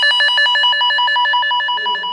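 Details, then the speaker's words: Cable tone tracer: the tone generator is clipped onto the de-energized cable, and the contactless probe is moved along without touching it. A loud, rapid chirping of about ten pulses a second grows as the probe nears the cable carrying the signal. The probe is right on the toned cable. "Là, on entend que ça commence un peu à gueuler, donc on n'est pas loin d'un câble qui a la porteuse."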